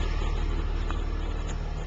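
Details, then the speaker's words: Stock 2006 Dodge pickup with Cummins diesel and automatic, exhaust starting to rust, idling with the Mopar exhaust brake off: steady even low rumble, no knocks or misses; healthy idle. "my truck's stock except for the fact that it's dirty and the exhaust is starting to rust out this is what the truck would sound like uh at idle without the exhaust brake"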